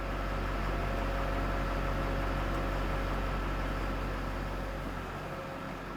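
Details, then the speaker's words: 2012 Ford F250 6.7 Powerstroke after a no-crank CAN communication fault (loose C101 connector), running after priming the fuel pump: steady, even diesel idle rumble with no knocks, misses or surging. Engine sounds healthy. "I'm going to crank it again Tim yes there we go just took a while to Prime that pump up all right so with that this does"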